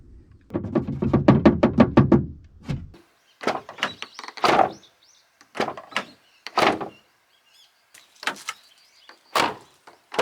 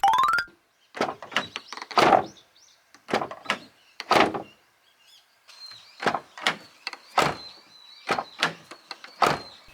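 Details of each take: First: Abarth 500/595 door closes with a solid thunk, then short loose clattering ticks; a detached damper inside the door rattles after closing. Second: Abarth 500/595 driver's door after fix with the absorber taped in place lower than original: repeated door closes, each a solid thunk with no trailing rattle; rattling gone, though the fix is imperfect.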